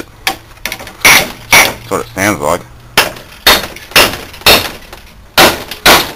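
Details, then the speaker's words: Scrapped air-conditioner compressor, knocked on the casing to free it: a low steady hum under sharp knocks. It is energised and apparently seized; owner wonders whether a failed condenser fan cooked it or a bearing spun. "all right just to give it a bit of a wake up I think it's actually seized I wonder if the condensing fan or something failed and cooked"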